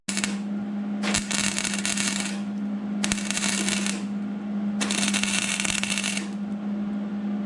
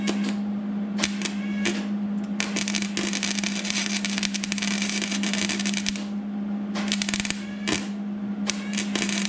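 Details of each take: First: 2002 Mercury Sable station wagon rocker panel rust repair, MIG welding overhead on the patch near the B-pillar: three crisp, steady frying bursts of about a second each over a constant hum, even crackle without popping; a clean, normal weld. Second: MIG welding a replacement rocker panel on a 2002 Mercury Sable station wagon: arc snaps and crackles in irregular bursts over a low hum instead of a steady frying sizzle, a sign of poor welding.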